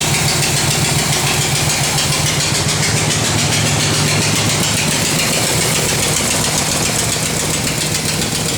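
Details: 1968 Corvette V8 at idle with a steady, fairly even knock over the exhaust, on the passenger side of the engine. The replaced exhaust gasket didn't stop it, and valve springs, rockers and pushrods checked fine; owner suspects a rod bearing, unconfirmed.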